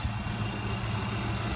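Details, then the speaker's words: 1995 SN95 Mustang Cobra, first run in years after adding a battery and fresh fuel: smooth, quiet low hum with a steady beat, nothing tapping or stumbling; idles cleanly, normal idle. "That's a running engine. This thing hasn't ran in years. And look at it. Idling nice."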